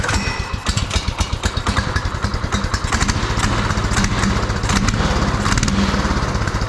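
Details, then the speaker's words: Beater go-kart's small single-cylinder engine on a swapped, still-unadjusted carburetor, just after first start: quick, even thumping that firms up as the idle control is turned up a little; runs steadily. "Oh [ __ ] that's kind of nice. Let's up that. I think that's my idle control. Let's up that a little bit."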